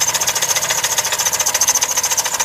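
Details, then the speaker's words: 2005 Dodge Caravan, RMP 3.8L replacement engine just past its 3-year warranty, not overheated or low on oil, knocking the morning after a 750-mile-each-way trip: sharp rapid metallic knocking about ten hits a second; severe engine knock, cause undiagnosed. "so the engine is a rmp engine and anyway so the engine has a severe knock in it this is the engine over here it has a severe knock"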